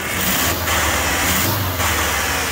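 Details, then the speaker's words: 1994 Ford F-150 with very poor acceleration, won't exceed about 20 mph: idling and revving with a choked, hissy, strained note, revs rise very fast; restricted exhaust, clogged catalytic converter or muffler. "can hear it it's got a restriction in the exhaust and this was that idle for this hook to get that thing so when you increase the RPM it's just anyway so it goes up really fast that's a clogged catalytic converter or Muffler"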